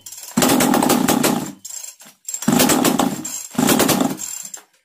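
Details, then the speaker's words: Chainsaw after tightening the plate screw and spark plug: three long rough starter pulls, each whirring then fading, engine never catches or fires; cranks but fails to start, screws to be checked next. "यह जो इसको मैंने tight कि यह plate a screw है machine हमारा starting का moment बना रहा है बट हमारा जो मशीन है वह स्ट्रैट नहीं हो रहा है"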